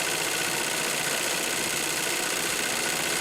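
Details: 1942 Singer 111W153 triple-feed sewing machine, just after oiling the noisy hook: fast, even mechanical whirr about three beats a second, no rattle or clatter; runs smoothly and sounds better. Normal running.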